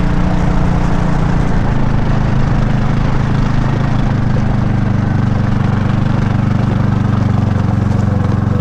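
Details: Kawasaki Mule on a chilly morning just after starting: rough idle with a buzzy, rattling exhaust note; the exhaust is suspected of coming loose or the muffler's internals blown out, unconfirmed.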